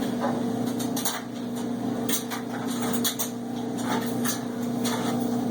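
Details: Cabrio washer running loud: steady hum with irregular clanks and knocks about once a second while the drum turns; cause not clear.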